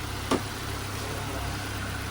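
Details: Nissan Exalta/Sentra after replacing a grounded ignition coil, idling to warm up: low steady hum with one brief tick near the start, otherwise smooth even idle; check engine light still on.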